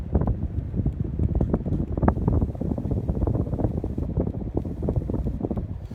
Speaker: Honestly, this is more powerful than the Gazebo Plus, to be honest. That movement, it's very similar to the Hunter.